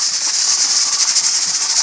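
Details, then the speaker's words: Pressure canner in a dry run on an unfamiliar cooktop, at full pressure before the burner is backed off: a steady loud hiss with quick, even chuffing pulses as the regulator weight rocks gently. Normal sound at pressure. "Most of the time they do that, they just go ch ch ch ch ch. But that's the sound they make when they're up to pressure, and they rock gently, just like that."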